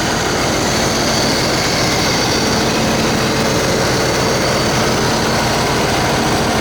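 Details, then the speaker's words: 1992 C4 Corvette LT1 300 hp V8 with 96,430 miles, a removed engine for sale: a loud, even idle with a smooth, continuous roar and no ticking or knocking. The engine is in great shape with no leaks. "This is the 300 horsepower LT1 engine. This engine's in great shape with no leaks or ticks or knocking."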